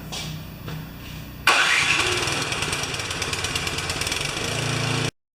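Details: Craftsman 24-inch 9HP snowblower that came in not running, now started after repair: brief lower-pitched lead-in, then engine comes up sharply and holds a steady, even run with no misses; running fine.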